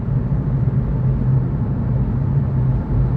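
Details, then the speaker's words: 2017 Fiat 500e driving before new tires: low, steady droning rumble rising and falling with road surface in a loud cabin; worn front tires in need of replacement. "it's not as bad on this road as it is on some roads uh but yeah you can usually just hear the tires like d d and it's uh yeah definitely in need of replacement"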